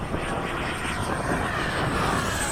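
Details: 80mm 12-blade FMS/E-flite ducted fan being balanced at the field: steady high fan whine over a rough, buzzy roar at constant speed; the fan rotor is unbalanced.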